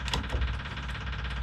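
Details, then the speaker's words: 1961 VW Beetle on 1965 pan, new flasher relay replacing a silent adjustable-timing relay: steady, evenly spaced clicks at correct blink rate with a faint hum (fuel pump audible); turn signal flasher working normally. "but the timing is perfect and it makes the noise"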